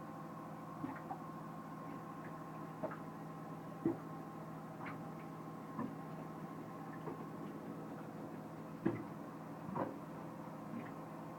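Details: Mercruiser Pro Mariner marine battery charger making a steady electrical buzz with irregular faint ticks and raspy clicks every few seconds; abnormal ticking and rasping noise, cause unclear.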